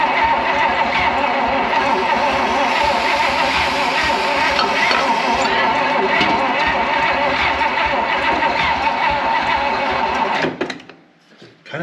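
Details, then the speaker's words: Abandoned 1956 Oldsmobile 88, long sitting and partly disassembled: fast, light, even cranking near four beats a second, turns freely, never fires, seems close to starting; suspected very low compression, ATF added; cranking no start. "like it wants to but man that sounds like it's got some super low [Music] compression"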